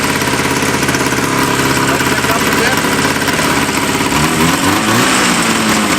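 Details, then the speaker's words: Worn vintage two-stroke snowmobile: screams at a high, uneven buzz with a ragged, stumbling beat instead of settling. Idle set too high, suspected bad plug on one cylinder; new plugs are on hand. "It sounds like someone's got the idle turnway up and it's got a bad plug. That's just one cylinder."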